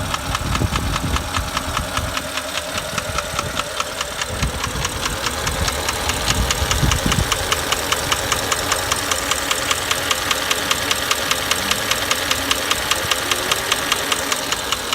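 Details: 2008 Porsche Cayenne Turbo V8, 93k miles, good service history, running: a steady, light knock two or three times a second from the driver's side of the engine; stretched timing chains or piston noise suspected, never diagnosed.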